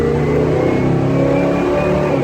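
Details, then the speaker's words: 1974 Buick Century Luxus, 350 V8 with two-barrel carburetor, 64,000 miles, under hard acceleration while driving: deep, smooth rising drone with no knocks, misses or rattles; healthy engine. "Can you believe that's two barrels? And that's 350. That's crazy. These cars produce less than 200 horse. And it just sounds amazing."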